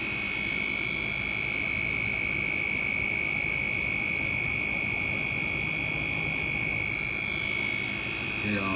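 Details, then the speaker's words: Desktop PC after about 30 minutes of gaming: high, steady electronic whistle with a rapid croaking chirp, about four pulses a second; owner suspects the motherboard, unconfirmed. "I think it's coming from the motherboard but I really have no idea"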